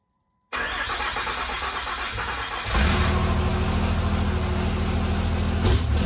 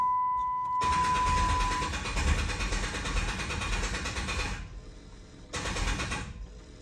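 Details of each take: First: 1500hp Cummins diesel project, first run after plugging in the injectors and before the hot retorque: it catches into a steady heavy rumble, revs up around three seconds, and runs evenly without knocks. Normal running. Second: 1500 hp Cummins project, cranking to build oil pressure on first start; uneven, labored cranking about three beats a second that stops and restarts: slow crank from poor main battery ground.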